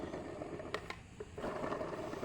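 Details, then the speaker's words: Toyota Rush radiator cooling fan motor that sometimes spins too slowly, which led to overheating and a burst radiator: rough, rattly whir with uneven ticking and sharp clicks. Suspected worn bearing and brushes; the fan motor is being replaced. "Nah, ini kondisinya seperti ini, suaranya sangat kasar ya untuk bearingnya, dan mungkin juga untuk coolnya atau brushnya di dalam tuh sudah mulai habis."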